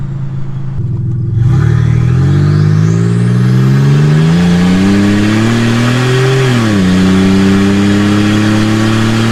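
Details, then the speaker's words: Nissan 300ZX turbo on a test drive with no exhaust or muffler: a raw, blaring engine climbs hard through the revs, then drops to a steady cruise. Open, unsilenced exhaust, very loud. "We definitely need to put an exhaust on so we can enjoy driving this thing more."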